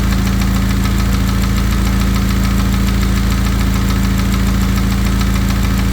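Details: VW EA888 engine at idle with a hollow, regular knock about three per second deep under the idle; suspected piston slap.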